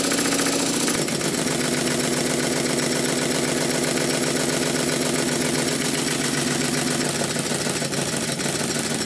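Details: Model triple expansion steam engine with a sloppy reversing shaft, run at varied feed pressure: chuffing of about four strokes a second, somewhat uneven, with light rattle; runs steadily and responds to pressure, a bit slowly.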